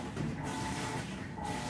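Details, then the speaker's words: Top-load washing machine in its technician test cycle, just after filling: a steady, coarse, meat-grinder-like churning through the quick agitation stroke at an even level; this is normal for this machine before it goes into drain. "And after this item fills, it will, after it stops stripping, it'll do a quick agitation, and that's the sound I'm hoping to demonstrate. Kind of sounds like a meat grinder,"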